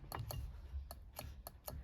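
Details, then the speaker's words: Holden FB/EK horn converted to wireless controller: sharp dry clicks in irregular pairs over low room rumble as the horn controller relay switches normally when the steering wheel button is pressed. "can hear it clicking also can see the light through"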